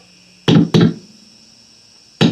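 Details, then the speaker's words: Electric guitar with a five-way pickup selector switch: signal bursts in and drops out abruptly; dust in the switch suspected, not confirmed, cleaned with electronics spray. "sometimes uh you just get dust in there this is what I use too spray Electronics there we go that will be good"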